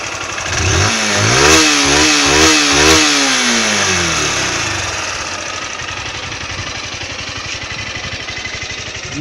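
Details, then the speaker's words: Honda Titan 160 motorcycle at 5,000 km, a thousand short of its 6,000 km valve adjustment: after a few throttle blips it settles to an even idle with loud fast ticking, about three a second; owner suspects valve clearance, others say normal. "Barulho no motor da moto. Estranho. Barulho de válvula muito alto."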